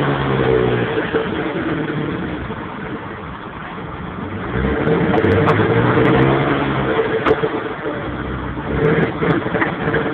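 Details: 1992 Mitsubishi 3000GT VR4 idle stumbling unevenly at about four beats a second, throttle blips rising and sagging roughly; misfire, cause not identified.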